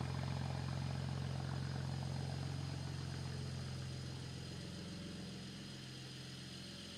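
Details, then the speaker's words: BMW idling with a steady uneven pulse of about four stumbles a second from a cylinder 1 misfire still present after new gapped spark plugs; an earlier coil swap fixed it only temporarily. Injectors are next to check. "The new spark plugs are installed and everything's back together. Unfortunately, the cylinder one misfire is still present."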